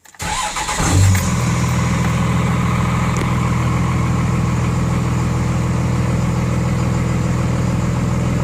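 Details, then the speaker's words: 24-valve Cummins diesel after installing DDP 50hp nozzles (4200 psi pop) to cure idle miss, Quadzilla tuner: brief crank, fires and settles into low steady even idle, about 850 rpm versus factory 900; normal idle. "I noticed the idol is remarkably lower with with these nozzles 250 horsepower nozzles on there or what factory is that 900 rpm now we're out like 850"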